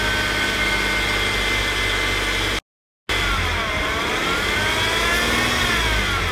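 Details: 2015 Audi S5 idling then revving: thin whine rising and falling with engine speed; cause suspected, not confirmed.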